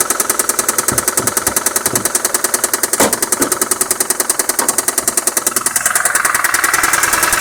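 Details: Mazda Xedos 9 engine at idle: sharp, very regular deep knock about two and a half per second; revs even and rise without problem, cause not yet found.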